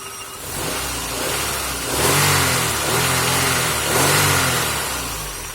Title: Honda Accord 2002 F23Z5 misfire